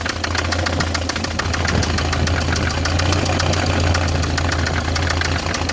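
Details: BMW E46 318i, M43TU engine, at idle: sharp, even ticking knock over the engine throughout; owner suspects the timing chain tensioner, cause unconfirmed.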